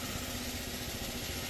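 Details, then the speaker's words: Honda Elite CH80 scooter, instant cold start, carburetor still needing tuning: a smooth, even putter holds steady at idle without misses or knocks. "Let's see if it starts right up. Feel a little cold. >> Yeah. That was an instant cold startup."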